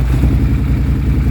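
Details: 2016 Polaris Sportsman 850 with no power and intake backfiring: lumpy, uneven idle with stumbling beats and irregular pops, the engine hunting and starving; caused by a failing Bosch fuel pump.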